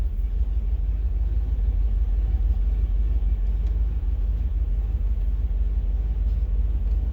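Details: 1987 Chevrolet K5 Blazer with TBI V8, cold start: low rumbling idle with uneven loping beat and occasional stumbles; tach jumps and slight misfire shortly after startup, ending after a couple minutes; cause unknown.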